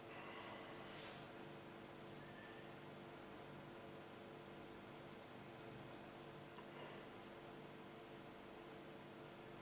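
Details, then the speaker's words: Lenovo ThinkCentre, once flooded, after swapping its old hard drive for a cheap SSD: boot drops from just under 2 minutes to about 22–23 seconds. Only a soft, steady fan hum with no drive clicking or seeking; it runs healthy. "There we go, it's loaded. So what's that? 22, let's call it 23 seconds."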